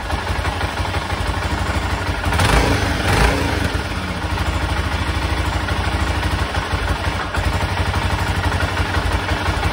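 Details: 1996 BMW F650 Funduro single after carburettor rebuild (cheap kit's wrong jets had caused cutting out at 2,500–3,000 rpm): thump swells into quick throttle blips and settles without cutting out; revs cleanly.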